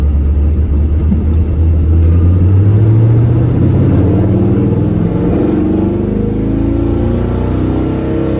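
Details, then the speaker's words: 1985 Chevy square body truck with a budget small-block V8, small upgraded cam (~220 hp) and Dynomax race bullet mufflers, revved to about 3,500 rpm: deep, even rumble, no misses or knocks, healthy. "i'm very happy with that sounds good like i said those dynomax race bullets between three to four grand this truck just sounds absolutely awesome"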